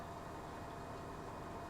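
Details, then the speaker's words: Washing machine after fill valve replacement and lid screwed back on, spinning: steady even low hum with no knocking, scraping or grinding; quiet, normal spin, with no leaks. "so I'm quite happy with that now all back together that's the unit"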